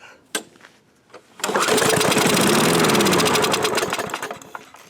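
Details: Old, well-worn 1986 Murray lawnmower, fresh gas, fuel valve on, manually choked after removing the choke cable: after a quiet pause it catches with a loud rapid putter for about three seconds, then fades out; fires briefly then dies.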